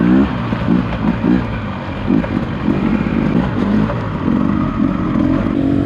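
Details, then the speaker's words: Beta 300 RR two-stroke dirt bike hard-revving during a race, running above a safe temperature without a fan but not boiling over: a faint metallic rattle over the exhaust as it climbs. Pinging, or detonation, from overheating. "it did not boil over during that race although you can hear it pinging"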